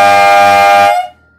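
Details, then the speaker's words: Harbor Freight three-chime Dixie-type horn set before tuning: loud steady multi-note blast about a second, chord grates with one bell off-pitch, sounding tacky; out-of-tune horn bell, later replaced with a cut-down Wolo longhorn bell. "kind of sounds really tacky and unpleasant so let's fix that"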